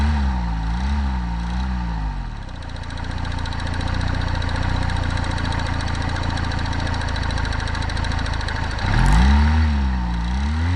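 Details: 2014 Honda CBF 125 single, bought wrecked and said to need valve adjustment: fast light rattling knock over the idle and blips; owner unsure whether timing chain, piston pin or crankshaft rattle, heard most at one spot on the engine.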